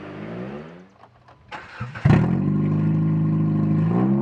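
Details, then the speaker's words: Sound test after the muffler repair, camera at about the same distance from the car: a few quiet cranks, the engine catches with a quick rev, then settles into a steady, well-muffled idle with no rasp or leak; normal exhaust note. "alright this would be sound test with the muffler fix in place maybe I'll try and put these clips side by side and CC how close the cameras about the same distance away from the car"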